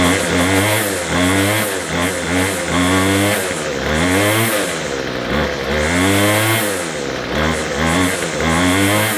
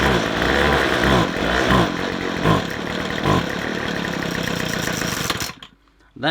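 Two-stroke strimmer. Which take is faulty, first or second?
second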